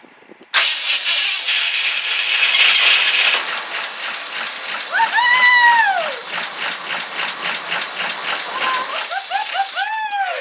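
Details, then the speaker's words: 1971 Ford F-100 V8 started for the first time in 15 years: long cranking rattle, then it catches and fires into a rough, uneven run. Normal start after long storage. "first time in how long 15 years Wow we need to rig up a fuel system to this tomorrow"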